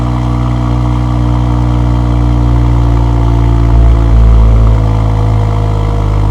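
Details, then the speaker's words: Mercedes GLE53 AMG on its first start after a full engine rebuild, warning lights on: fires instantly with the starter barely heard, settles to a smooth, even idle, then revs cleanly. Normal running and revving. "Like I said, it's weird. You don't even hear the starter motor. It just fires up like clockwork."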